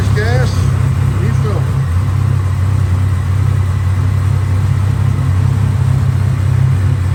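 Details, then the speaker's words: 1987 Buick Grand National turbo, 32K miles, sat 12-13 years, running on new plugs, fresh gas and filter: deep idle with slightly uneven rough rich beat; pulling the vacuum line kills it with gas coming out, owner suspects a bad fuel pressure regulator. "So I pulled the vacuum line off and it dies and it looks like gas coming out. Gas coming out."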